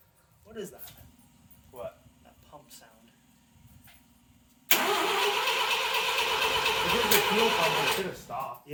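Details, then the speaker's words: 1979 Mazda SA RX7, first start attempt: about four seconds of steady starter cranking with compression and a faint chug, but it won't start; carburetor to be sprayed with brake cleaner next, cause unconfirmed. "so starter spins obviously cranks over sounds like it does have compression it kind of chugged a little bit um but it's not starting"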